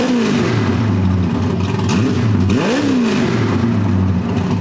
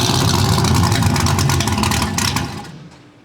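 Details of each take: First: Freshly built supercharged small-block V8 on first start after new engine install, header wrap burning off: loud, lumpy idle, then one sharp blip that rises and falls back cleanly with no stumble; healthy normal revving. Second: First start of a freshly built supercharged small-block V8 (TorqStorm blower, Holley parts) with ignition timing not yet checked: catches, runs rough and uneven about two seconds, then dies; the stall is put down to incorrect timing.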